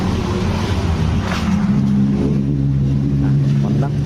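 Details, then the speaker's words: Motorcycle idling with a low, uneven rumble and faint, irregular ticks. The noise had been growing louder; the exhaust was welded, but the noise remained, so the engine itself is at fault. The welded exhaust still leaks slightly. "Setelah dielas ya ternyata suaranya masih ada. Berarti bukan dari knalpot, berarti mesinnya yang bermasalah."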